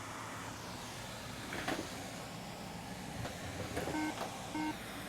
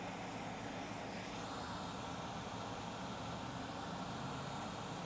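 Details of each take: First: Late 2012 iMac 27-inch on power-up: fan spins at full speed, then nine low beeps (three short, three long, three short) and it shuts off. This indicates corrupt EFI/BIOS firmware. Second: Late 2012 iMac 27-inch powering on after resoldering a chip back onto the motherboard: loud fan rush at high speed, no 9-beep error, third LED lights.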